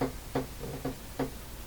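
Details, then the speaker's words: Canadian Spartan Model 5542 radio, powered up without speaker connected: sharp knocks repeating about every third of a second just after switch-on; source unknown, seemingly without consequence. "going I have no idea what that sound was okay just I don't know what to think of that um unless it rears its head again I'm going to ignore it"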